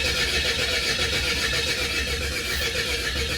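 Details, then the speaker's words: Car engine cranked at night with the HT leads left disconnected: steady starter churning at about four beats a second with no catch or firing. Cranks but won't start because the ignition leads were off. "I am such an idiot why does it not start let me tell you why it doesn't start yeah look at this look where's the HD leads"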